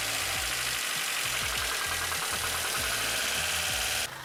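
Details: Vauxhall Corsa original engine at idle, with low oil pressure for a while: uneven heavy knock three or four a second over a hissy background, then cuts off; engine knocking, later replaced with a new engine.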